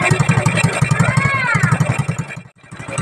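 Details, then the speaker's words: 110cc motorcycle with hard-starting carb, air cleaner fitted, during air-mixture screw adjustment: single-cylinder idle puttering about four beats a second, dipping briefly as if about to stall, then picking back up and continuing; normal idle. "Yung menor niya akala mamamatay pero hindi naman tuloy-tuloy pa rin siya dapat."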